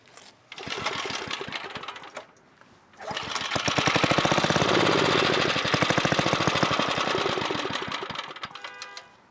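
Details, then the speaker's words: 1980s Onan 1.7 kW generator, just revived after clearing a clog: steady rapid chugging suddenly dies, restarts, then fades out. The engine stalls and the cause is unknown; the owner wonders whether it clogged again. "Okay. Again, we should have 14. Why'd it shut off?"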